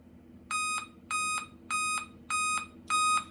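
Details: Dell laptop powered by adapter only, battery, hard disk and keyboard removed: five evenly spaced high-pitched beeps about half a second apart at power-on; Dell five-beep POST code.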